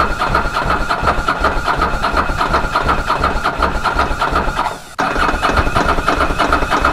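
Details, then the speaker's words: Ducati Monster 900 twin, first start after a carburetor rebuild by Doc Carbu: catches and settles into a fast, busy idle with no stumble. It runs smoothly but idles far too high. A small fuel leak was also found at the fuel tap. "it's running it's running quite smoothly on the other hand I have a slow motion which is much too high so I'll have to I look at that"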